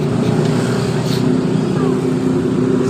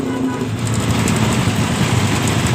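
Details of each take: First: Honda Supra engine in a modified Honda 70 frame, after fixing the cam-chain noise by refitting the tensioner primed with oil. Steady, even single-cylinder idle with a smooth low beat and the earlier cam-chain ticking gone. Normal idle. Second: Honda Supra engine in a modified Honda 70 frame, new ticking noise. Rapid light metallic ticking over a low, steady idle, loudest at the exhaust and left side of the engine; a loose cam chain, confirmed very slack when the cover was opened.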